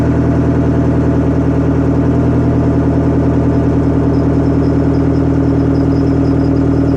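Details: Detroit Diesel 4-53TIB two-stroke diesel, rebuilt Silver series, cold idle outdoors at about -7 to -10°C after Webasto preheat, no oil heater, oil about 28°F: even, steady, smooth drone with no misses or knocks. Normal cold idle.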